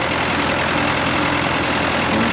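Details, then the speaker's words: Fordson Power Major crane tractor diesel, first run after sump reinstallation: steady diesel clatter at even idle, occasional pop, no knocking; idling well though still a bit rough. "Back here I can actually hear it's running pretty good. It does pop a little bit every now and then, but"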